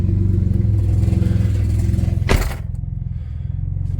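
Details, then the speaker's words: BMW 335i (E90, N54, 6-speed manual) driving: a low engine drone with a loose metallic clatter. The exhaust rattles badly because a clamp was lost. "It's been rattling like crazy. I lost one of the clamps, I guess, so now the exhaust is rattling like crazy."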